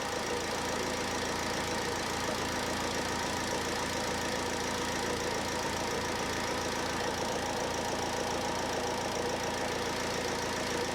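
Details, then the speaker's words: 2007 Ford Transit Connect 1.8 diesel just after fuel filter change, first start: steady even tick-over with light clatter, no stumbling or hunting from air; idle healthy. "So next I'll fire it up, make sure it ticks over okay. Sometimes they run a little bit lumpy because there will be a little bit of air in there, but hopefully it's very minimal."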